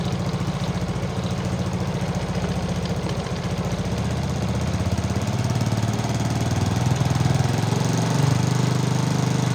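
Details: Motorcycle after a stripped spark plug thread is repaired in the cylinder head without removing the engine, and a loose exhaust clamp causing a crackle is found. It starts straight away on the starter: a regular single-cylinder thump about twice a second with no misfire.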